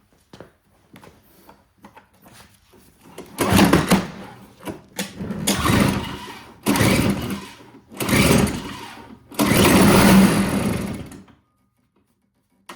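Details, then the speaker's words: Old Toro CCR Powerlite snowthrower, unused for years, runs only on primer/starting fluid: catches in short bursts of a few seconds, revs briefly, then dies each time. The carburetor isn't drawing fuel because the previous owner installed the float needle upside down, so no fuel reaches the bowl. "Now, as you can hear again, it's working when you do the primer. But it's not staying running. So that tells me the carburetor's not sucking up the fuel."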